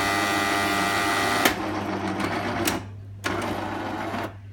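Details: Jura Impressa S70 coffee machine making a loud noise; harsh mechanical whirr over a steady low hum, cutting in and out in bursts, running abnormally noisily.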